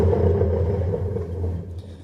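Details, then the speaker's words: Washer-dryer drum turning with a deep, steady roar and rough low hum; worn drum bearings roaring, which if used until failure break and develop play. "essa máquina aqui tá com os rolamentos roncando eles costumam roncar assim"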